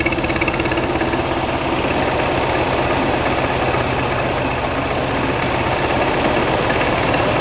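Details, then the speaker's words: 1969 VW Beetle 1600cc with dual 34 carbs and ratio rockers, freshly installed, after carb idle and mixture adjustment: a steady flat-four idle with a slight uneven lope, otherwise smooth; judged to sound good and acceptable. "Final hole. Sounds good. I'm all right with it."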